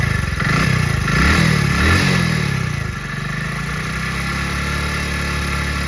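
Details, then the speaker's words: Hot single-cylinder motorcycle engine after 10–20 km of riding, at idle and with revs: a light, busy ticking rides on the exhaust beat, much noisier than at the morning cold start. Tappet or cam chain clatter suspected, which the speaker links to engine oil; cause not confirmed. "दोस्तों इस समय मुझे engine की आवाज बिल्कुल भी पसंद नहीं हो रहा है क्योंकि जब मैं सुबह-सुबह स्टार्ट करता हूं तो उस समय की आवाज और अभी की आवाज में मैं बहुत ही अंतर देख रहा हूं"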